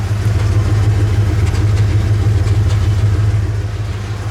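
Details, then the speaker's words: Bullnose Ford EFI engine running junkyard 4-hole 460 injectors in place of junk single-hole ones, with the air pump hooked up: low, steady idle with a faintly uneven beat now and then; slight stumble, possible misfire. "It's got a little bit of a gitch, but these injectors were kind of gross smelling when I pulled them out of the 460."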